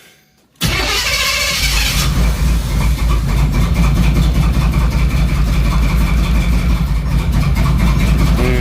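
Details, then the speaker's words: Third-gen Camaro run with a spark controller plugged in: starts, then stumbles with an uneven beat about four a second instead of a smooth idle, sounding badly out of time; misfire. "man this thing sounds like it's terribly out of time man that's awful"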